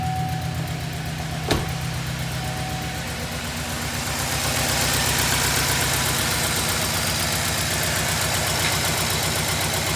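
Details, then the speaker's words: LS V8 at first startup after repairing a cracked exhaust flange with high-heat silicone: steady, even idle with smooth firing pulse, no ticking or puffing at the manifold; exhaust leak sealed. "ready for the first startup since the exhaust leak fix let's see how she sounds now"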